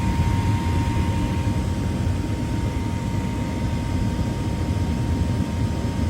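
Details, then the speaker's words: Gas furnace inducer motor running while being checked for rattling from leaves or critter debris in the exhaust flue. Steady low hum with a fine constant tone and no rattling: a normal, clean inducer. "I listen to this inducer motor to see if there's anything in that exhaust flue, because sometimes squirrels or critters will drop leaves or whatever d"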